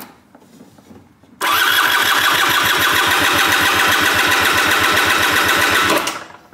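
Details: Piaggio SKR 125cc scooter that won't start: the starter spins the engine at an even chug for about 4.5 seconds and it never fires. Spark is present and compression is about 10 bar, so the carburettor/fuel supply is suspected next.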